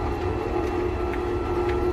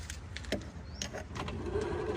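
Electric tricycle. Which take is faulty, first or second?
first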